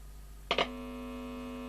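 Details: Philips EL3510 (AG8107) valve tape recorder under repair with a worn EL84 fitted: a click, then a steady low mains hum from the speaker when the output stage input is touched, so the output valve stage is passing signal.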